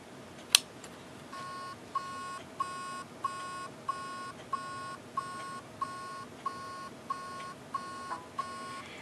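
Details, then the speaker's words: Hard drive gives steady short beeps about every two-thirds of a second, a beeping rather than clicking noise; owner suspects heads stuck to the platter, not confirmed. "so it's actually a beeping noise as opposed to a clicking noise okay so this noise we can deal with"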